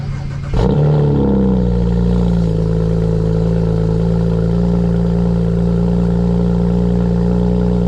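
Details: BMW 335i N54, first cold start after 3–4 days sitting, just fitted with VRSF catless downpipes and front-mount intercooler: quick crank, catches at once, steady deep high idle, no codes, no stumble or rattle; healthy.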